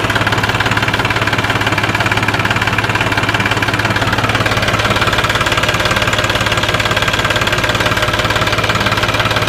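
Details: New Holland TT45 tractor diesel restarted after running out of fuel and failing to start following refueling: steady even clatter at constant idle, no misses or surges; normal idle.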